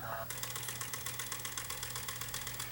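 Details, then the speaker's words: Sony HDR-FX1 camcorder, cassette compartment open, playing forward; sharp regular clatter about four knocks a second over faint hum, only in forward direction; suspected broken gear or take-up hub, not confirmed; picture also glitching. "It doesn't sound good. In play, you hear it. Almost sounds like maybe a broken gear or something. You know, but it's only affecting it in the forward direction."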